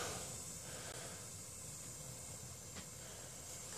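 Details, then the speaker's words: Propane stove with contacts cleaned, all three burners lit on high: a soft, steady gas hiss with no sputter, popping or fading. Good propane flow; normal burner operation. "So, yeah. It's got really good airflow, or good propane flow, that all 3 burners stay on high when you turn it on. That's a sign of a good stove."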